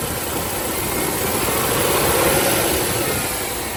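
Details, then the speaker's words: 1995 Range Rover Classic, 4.2 V8, after replacing the ignition coil, distributor cap and rotor arm: an even idle that swells smoothly with a touch of throttle and settles back, running cleanly. This fixed the no-start. "Wow. I hope it doesn't die on me, but that sounds sounds really good. Give it a little gas."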